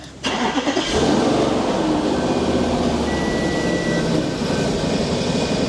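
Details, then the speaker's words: Audi RS5 4.2 V8, after throttle bodies, engine ECU and wiring repairs elsewhere: starts, then idle wavers and hunts, lumpy and getting worse; throttle position bank one and bank two too low, basic settings fail; throttle wiring fault. "Sounds a tad lumpy. And it goes worse."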